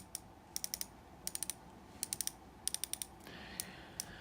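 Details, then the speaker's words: New 2025 Shimano Ultegra fishing reel; light, faint clicker ticking in bursts of three or four clicks as spool turns, too quiet and lacking snap, owner hopes to increase spring tension. "it's a little bit quiet for my taste. I'm hoping I can increase the tension of the spring a little bit."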